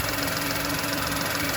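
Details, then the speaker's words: VW Polo with a P0068 check-engine code: steady idle with an even airy hiss, and the engine tone changes when a hand covers the area. Vacuum leak at the crankcase ventilation pipe to the intake manifold. "I could hear the intake of air and a Hy sound so bring my hand down yeah as I'm doing that you can hear the engine tone change and I don't know can you hear that hissing sound"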